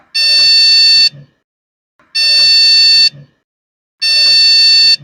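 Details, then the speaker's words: PC that won't boot, only beeping: long high-pitched beeps about a second each, repeating roughly every two seconds, still present after tightening the fan; faulty RAM found and replaced with another module, after which it ran. "मुझे आशा है यह computer ठीक हो ही जाएगा क्योंकि whip जो sound आता है अक्सर रेम का या फिर मदरबोर्ड का एरर्स रहता है या इशू रहता है।"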